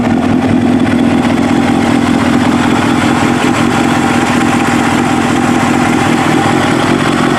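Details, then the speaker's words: Kawasaki ZX7R race bike, FCR41 flatslide carbs synced, fuel screws leaned to 1 turn out from 2, warmed up: steady four-cylinder idle with slow mild hunting about 1250–1500 RPM; acceptable. "I mean, it hunts a little bit. It fluctuates from 13 to, I should say, about 1250 to about 1500 RPM. I don't really mind that so much, but that's acceptable."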